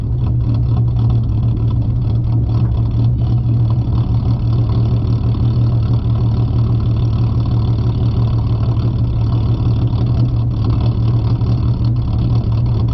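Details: 4.0 V6 Mustang with an idle chop tune set to 725 rpm and no catalytic converters, in Drive at a red light (in Park the idle fluctuates about 690–790 rpm): low, lumpy idle with a steady rumble and slight uneven pulse.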